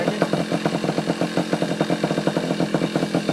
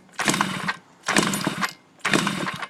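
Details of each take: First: Yamaha Chappy two-stroke after HPI ignition install, stator had been shorting to the case, owner suspects too many grounds: crisp, regular popping at a steady quick rate, clean firing, no misses; now running normally. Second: Yamaha Chappy moped during HPI system install: three half-second cranking bursts about a second apart, engine never catches; likely flooded, owner also suspects too many kill switches. Cause not confirmed.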